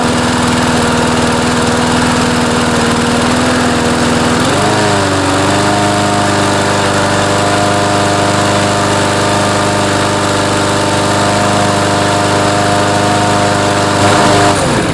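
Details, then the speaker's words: Craftsman mower, Briggs & Stratton 6.75 Series auto-choke engine, just fitted replacement carburetor and new air filter: climbs to steady buzz but holds flat low pitch at full throttle, not revving enough. Governed speed too low; fixed by bending throttle-linkage spring loop. "so you can hear on full speed it's not quite revving up as much as it should"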